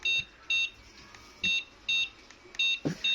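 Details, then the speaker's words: Honda keyless motorcycle with newly registered replacement remote: six short high-pitched answer-back buzzer chirps in pairs about half a second apart, clean and even; remote correctly connected to the SCU/receiver module. "Ini tandanya bahwasannya si remote ini benar-benar terkoneksi dengan SCU atau receivernya atau modul remote."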